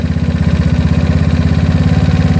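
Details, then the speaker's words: GY6 scooter engine with an OKO PWK 30mm carburetor, idle mixture screw turned richer: fast, even putter of about thirteen beats a second, sitting well above a proper idle; high idle from a rich mixture, later set about a turn and a quarter. "yeah I hear the engine being aggressive again which is good thing when you want to celebrate but not when you want to idle stop light"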